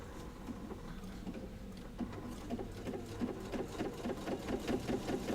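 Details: Sewing machine stitching a pot holder made from a quilt panel square: light, quick patter of stitches speeding up toward the end, even and free of knocks or grinding; normal stitching.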